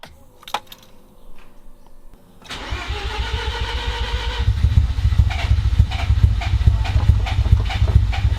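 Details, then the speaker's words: Mazda FC RX-7 rotary, cold start after a part was swapped and fuel spilled: short crank, then lumpy, uneven running pulsing about twice a second with a loud low thrum and some smoke; it won't idle, cause unknown. "So now it just doesn't idle. So, if you guys know what's wrong with my car, uh, comment below."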